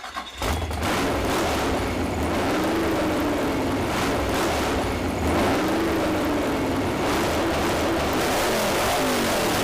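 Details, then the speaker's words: Mini truck four-cylinder with power upgrades, first fire-up after the build, heard through poor internet audio. It revs up and settles repeatedly without misses or knocks and runs well. "internet audio is probably terrible but uh it runs good I'm pretty happy yeah dude I I like it a lot"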